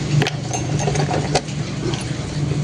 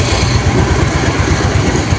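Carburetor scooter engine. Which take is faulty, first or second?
first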